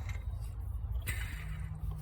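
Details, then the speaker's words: Rough idler pulley bearing, spun by hand with the timing belt off, gives a low gritty rumble, "rough as", on a diesel Prado/Hilux during the water pump and timing belt job; the bearings are being replaced, long overdue. "Part of the BFE job is we changed the bearings in here. And in here, and in here, that one, have a listen. Hang on. Yeah, rough as."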